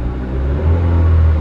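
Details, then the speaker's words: 2013 Chevrolet Spin 1.5 LTZ petrol automatic at 93,000 km, in Park with door open: deep steady low rumble, no knocks, misses or rattles; normal idle. "Nah, kilometernya 93.000, masih mulus banget mesinnya."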